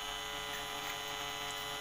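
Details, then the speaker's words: Polytron compo stereo with added Bluetooth module powered without a stabilizer; constant electrical hum with buzzy edge, loud even at low volume and louder in Bluetooth mode; mains hum from unfiltered power feed. "bisa teman-teman dengarkan ini posisi Diau kalaupun ini volume saya kecil noisenya udah terdengar keras"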